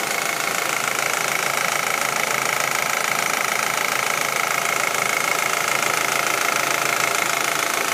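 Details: Audi A4 1.8T at warm idle: sharp, even ticking about three times a second, steady in rhythm, appearing once the engine warms up; top-end tick of unknown cause.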